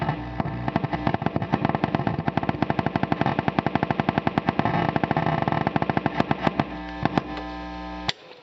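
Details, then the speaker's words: Vox AD50VT guitar amp: rapid regular deep thumping pulses, unaffected by gain, volume, master or power level settings or tube removal, that change pace when the rear power control is tapped; faulty power control pot or bad solder joint, likely knocked. "this leads me to believe that the problem is something mechanical in the power control circuit possibly the control itself or a bad solder connection on the circuit board"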